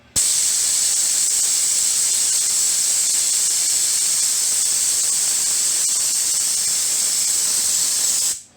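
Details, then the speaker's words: C6 Corvette after piston replacement and new heads: an air-driven venturi vacuum filler pulls vacuum on the cooling system with a loud, steady, high-pitched hiss; the tone changes as vacuum builds. Normal operation. "okay you can see the gauge here this indicates how much vacuum the thing has there's a valve here this is what i'm going to pull the fluid in from and this guy creates the vacuum itself it's going to be a little bit noisy just just letting you know"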